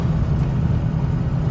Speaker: but no doors no this little stretch of road right here is pretty rough as you can see by my hand bouncing with the camera but no door squeak so that's uh that's amazing